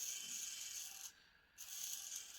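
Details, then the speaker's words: Braun hand blender's repaired small brushed motor, previously overloaded (worn commutator, overheated winding, melted insulation), run on 27 V max supply: thin steady high whine with short dip, no scraping; spins freely, low current draw, hard to stall, not heating. "ძრავი და მოხმარებაც საკმაოდ დაბალია. ძალას ვატანთ, გაჩერება ძნელია."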